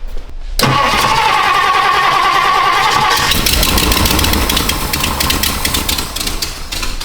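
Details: 1962 Ford Thunderbird V8 after vacuum fixes, with the electric choke now powered from the blower motor feed, primed to fill with fuel: a brief crank, then it catches quickly and settles into a steady, even idle with no misses. A normal start.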